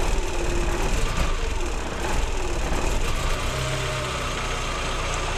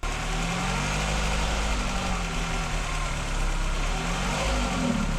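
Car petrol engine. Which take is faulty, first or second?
second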